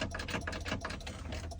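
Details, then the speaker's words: Freightliner M2 manual-transmission truck won't crank after being shut off: with the clutch pedal pressed, only rapid dry clicking, about seven or eight a second, and no cranking; faulty clutch pedal switch. "you can see I'm trying the clut pedal is press nothing is going on so like 90% of the time when your truck doesn't start it's an M2 your problem realiz here is the clutch switch"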